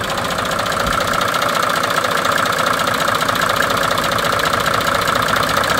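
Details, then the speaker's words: Mercedes OM603 diesel engine, no known history, after oil, oil filter and fuel filter changes, warm idle before any diagnosis or repair: an even, sharp tick of about two or three a second over the diesel clatter, seeming to come from a different spot than the back. "it seems to be changing between the cold and hot right now it actually sounds like from here instead of from the back and that was simply just recording of That Knocking before any diag NOS this and a repair will start"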